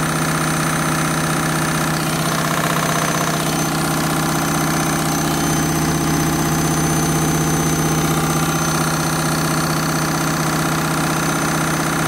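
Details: Candy Mini Load washing machine, Rapid 30 programme, final spin at what the owner thinks is about 1200 rpm: loud steady whirring hum with a rhythmic thrum about twice a second, much noisier than a normal spin.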